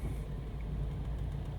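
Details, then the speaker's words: 2003 Toyota Matrix 1.8L with a cylinder 2 misfire code, put under load in gear: deep, lumpy idle with an uneven stumble, a dead misfire pointing to a failing ignition coil, not yet confirmed. "Oh yeah, that has a dead misfire right there. And like I said before, guys, usually when you put it under load, that is a dead giveaway of an ignition coil."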